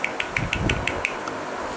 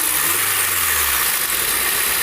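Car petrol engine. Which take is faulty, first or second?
first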